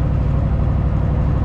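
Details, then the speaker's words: Motorhome V8 first start after sitting over 10 years: deep, even low rumble with steady firing and no knocks or ticks, idling smoothly with a little smoke. "this thing is purring like a kitten she sounds great she sounds nice and smooth there's a little bit of smoke but what do you expect for sitting for 10 years i can't believe it's actually sitting here idling"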